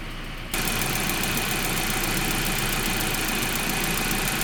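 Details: 1.8T engine at steady idle: fast light ticking about four per second over the engine hum; cause not pinned down.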